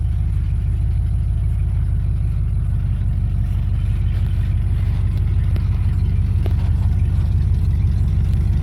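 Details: 1995 Ford F-150 4x4 V8 revived, coolant topped off: deep, steady burble at even idle with no knocks or misses; normal idle.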